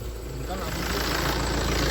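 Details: Tata Safari diesel after a no-ECU-communication no-start was fixed with a full system reset: steady low clatter at idle with even firing and no misses or knocks; running normally.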